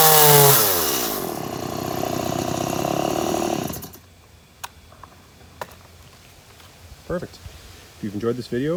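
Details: Stihl MS180C chainsaw after installing a replacement carburetor and adjusting idle screw, revs up clean and strong, holds steady high buzz, drops off cleanly with no stumble or bogging; normal running after repair.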